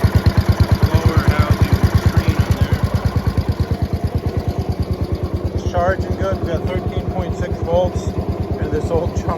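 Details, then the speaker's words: 1971 Gravely 430 tractor with a single-cylinder K301 engine at idle. Steady, even thump at about three beats a second with no misses or knocks; clean, healthy normal idle. "dude this 430 runs mint listen to this Idol on this thing amazing that thing that CER that CER k301 awesome awesome"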